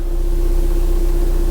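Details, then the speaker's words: VW TDI diesel idling after engine mount replacement, belly pan still off: smooth, even low rumble with no shaking or knocking; severe vibration through the car is gone after the fix. "That's night and day different. I'm sure it doesn't translate at all onto the video there, but there's basically no vibration at all in the car now."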